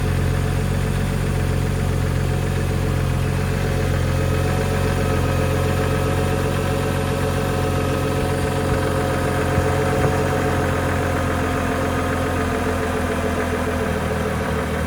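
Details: BMW e92 335i N55 petrol engine, under 1000 miles on new rod bearings, idling cold: steady low rumble with a faint, regular light knock that disappears when warm; knocking at cold idle, rod knock suspected, not confirmed.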